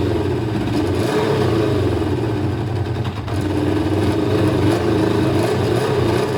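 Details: Kawasaki ZL600 with three air holes drilled in each carb intake and air filter removed, phone resting on nearby bike: needed choke to start; uneven, lumpy idle around four pulses a second; owner thinks three holes is too much air, running lean.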